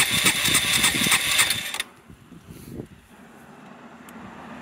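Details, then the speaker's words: Yamaha SR125 single, first start in 3 years, with a dry tank, running only on carb cleaner sprayed into the carb boot, float bowl and fuel hose. Ragged uneven firing under two seconds, won't rev, then dies. "I've sprayed some down into the float Bowl I have no idea how quickly this stuff off gas is but it sounds to me like it's running won't rev but then what do you expect"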